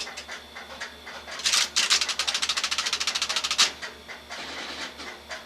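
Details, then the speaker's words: Western Electric SXS Strowger step-by-step office: fast, crisp selector clicking, about three to four steps a second, as digits step through on a 1+ long-distance self-call outpulsed with ANI to an Asterisk system and returning on an incoming selector; normal step switch operation. "I'm currently calling the central office number long distance, so we're outposting and dial post right now to the asterisk system."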